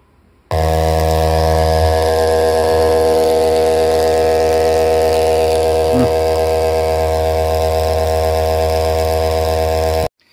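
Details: JBL Charge 2 Plus speaker driver on a test tone, swapped onto the other amplifier channel to isolate the fault: harsh, buzzy, raspy note; a bent copper wire was tapping the diaphragm at large excursions. Speaker driver distortion.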